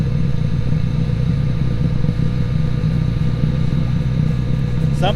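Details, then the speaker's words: Two-stroke ATV expansion chamber being cooked out: steady deep rumble with no engine beat as carbon inside catches, self-sustains and burns out, smoking less as it goes. "all right I think it lit because I hear it going yeah it went now still self-sustaining I suspect"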